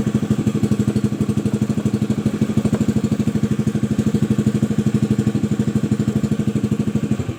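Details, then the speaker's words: Honda Vario 110 (old model) idling steadily at about three beats a second, then dying abruptly when the battery is disconnected while the regulator stays fitted. The fault is in the charging path from the stator through the regulator/rectifier, so a regulator swap is to be tried. "Nah, matikan teman-teman. Pas posisi saya copot ini mati mesinnya. Nah, sedangkan pada regulator ini masih terpasang."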